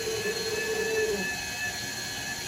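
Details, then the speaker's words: Water softener control valve with 9 years of salt-water drip, rinse skipped: steady small-motor whir with a faint gear tone easing off at the end as the disc turns, advancing to fill. Normal. "Okay, now you can see it's going to start filling. The motor's turning. You can hear that, all the gears turning, that little metal disc."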